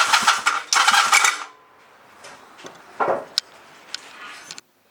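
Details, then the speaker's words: Chinese clone of the Honda Rebel 250 engine, 250cc motorcycle: pressing start gives two harsh grinding, rattling bursts from the left case where the starter motor is, and the engine never turns over; broken starter clutch. "When you pushed the Start button it made this horrible noise from the left case, where the starter motor is."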